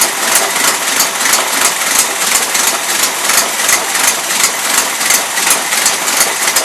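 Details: 1977 Toyota Celica, Weber carburetor, first run since 1994 or 2005: ragged, uneven idle with a spitting beat about three per second; mixture screws fully in but still loading up rich; owner also suspects high fuel pump pressure.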